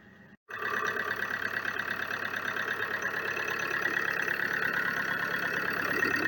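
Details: Opel Insignia 2.0 CDTI diesel after replacing a seized engine and a damaged crankshaft pulse sensor: engine catches after long failed start attempts and settles into an even diesel idle with steady tone, no knocks or misses; runs as it should.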